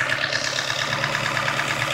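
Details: Nissan SR20DEH engine at idle: fast light metallic ticking around eight per second over quiet idle; source unknown.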